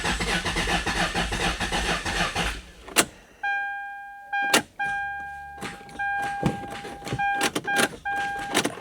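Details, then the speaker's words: Lexus LS400, owner thinks 1997, bought non-running: after a failed restart the starter grinds a couple of seconds without firing, then only clicks and dash chimes as the battery dies; the scanner then can't communicate with the control unit. "And now it's dead."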